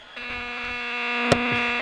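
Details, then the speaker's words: 1950 AN/GRC-26 military tube radio under restoration, with weak tubes awaiting replacement: steady harsh buzz at fixed pitch with rich overtones starting and stopping abruptly; radio makes noise but not working properly, cause unconfirmed. "so yeah okay it's making noise but it's not a happy camper yet"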